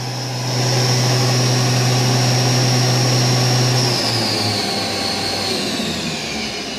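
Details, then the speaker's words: VMC spindle run via MDI command S5000 M3 (5,000 rpm clockwise), speed varied down and up: steady, clean high whine changing smoothly in pitch with no knocks or grinding; healthy spindle. "so let's try s5000 M3 which is 5,000 RPM for Speed and M3 is spindle clockwise"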